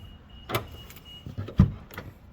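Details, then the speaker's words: First-gen Toyota Sequoia rear hatch after installing bypass lever and interior cable release, hatch shut: a couple of short crisp thunks from the latch motor, no buzzing or dragging; hatch lock actuating normally. "And then now make sure it locks. It's locking. Well, unlock it."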